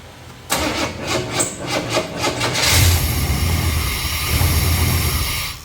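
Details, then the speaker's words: 1990 Chevy C1500 5.7 after intake manifold reseal, distributor being advanced: long cranking, catches and runs raggedly a few seconds then dies; can't keep running, incorrect ignition timing. "oh dang maybe at least I can keep it running while I set the timing [Music] all right I can't keep it running long enough"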